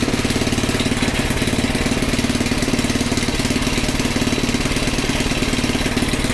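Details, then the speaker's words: Small Predator single-cylinder engine (about 96–99 cc) on a front-tine rototiller, after the belt was tightened, with a new filter and a good plug, warming the oil: a steady, even thump of about three firings a second, no misses; runs normally. "yeah that should be good to go i think we are set so let this run a little bit just to make sure get the oil a little warmer"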